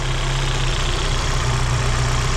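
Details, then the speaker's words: Vauxhall petrol engine idling after a split vacuum pipe was cut down and refitted to stop a hissing leak that was affecting the idle: smooth, even, steady low hum with no intake hiss, idling happier. "It's idling happier now. We're not getting a hiss out of that pipe anymore."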